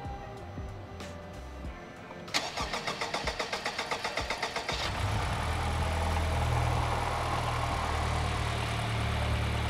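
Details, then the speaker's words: Honda Civic Type R FK8 Spoon build, first start on a stock computer with Hondata flash, Spoon turbo, upgraded injectors, PRL intercooler and charge pipe, and Spoon radiator: even starter pulses for about 2.5 seconds, then a clean catch to a steady idle. Normal first start. "sounds good to me man"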